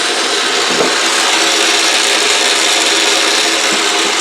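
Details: Autobox 8x16 mini lathe, new, spindle cranked up to about 31.6 on the readout: steady high whir with light hiss at one even pitch, no knocking or grinding; spindle running smooth.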